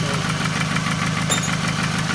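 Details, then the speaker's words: 2008 Toyota Camry 2.4L at idle: quick, regular ticking that keeps pace with engine speed and persisted after a lifter replacement. A manifold leak is suspected (the exhaust manifold, though the intake manifold is also named), and the exhaust manifold is being replaced. "It's have a lot of noise for I think the exhaust manifold noise from there. I change lifter, it doesn't work, still noise."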